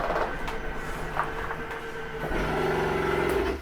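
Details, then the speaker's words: 2021 Jayco Jay Flight SLX 287BHS slide-out extending: motor drone turns to a rough ratcheting grind with steady hum at full travel; normal end-of-travel stop noise, nothing broken. "wanted you to hear that grinding noise just so that you know there's nothing really grinding it's just a noise for the slide to keep itself from going out any further it's okay to hear don't panic"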